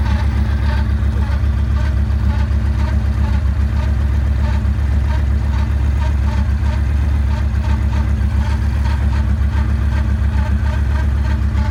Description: Does anyone know what this noise could be? 2009 Yamaha Raider / Thanks